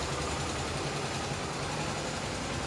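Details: Honda CBX 250 Twister on a lift after about 20 minutes of repair, with the noise possibly from the cam chain tensioner: quiet, steady single-cylinder putter at idle with the top-end noise gone; normal idle.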